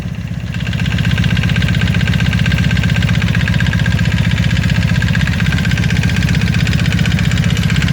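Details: 1995 Honda Magna motorcycle at idle: quick, even tapping about three a second over the low engine beat; owner wonders whether it is the chain tensioner or valve noise.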